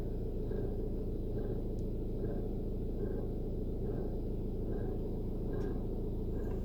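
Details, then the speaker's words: VW Passat B7, warm after five-minute drive, in neutral, clutch made no difference, revved: rough rumble with faint rhythmic scraping about three times a second rising with revs, from front of bulkhead under dash or engine bay; owner suspects an engine pulley. "put my foot on the throttle now just to increase the revs and the cadence of that noise is increased as well don't know if you can hear that over the revs of the engine it just sounds like it's coming from front of the bulkhead it's either under the dash or in the engine bay"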